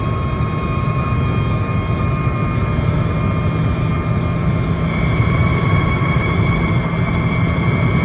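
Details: At 120 km/h and above, a thin, steady whistle rides above the road roar, the sound of lifted windshield trim fluttering in the wind.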